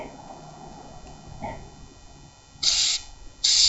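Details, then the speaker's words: Mobility scooter front end: two sharp high squeaks about a second apart; owner suspects a hard-to-access hinge in the front suspension is the source. "of almost sounds like that's where the squeaking is coming I'm hoping it's that simple"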